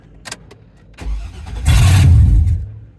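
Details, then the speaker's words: Auction truck: a short crank, then a loud, deep, rough roar on startup. It runs, but the exhaust is clearly not connected. "she's loud hold on well she runs [Music] she clearly doesn't have an exhaust connected"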